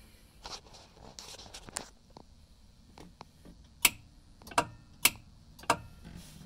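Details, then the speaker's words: 1981 Comutacar electric car that won't move forward or reverse: pressing the accelerator gives only sharp single clicks every half to one second from the rear motor area, with no motor hum. "i'm gonna try to get a better sense of what's making that clicking noise it's definitely coming from back here"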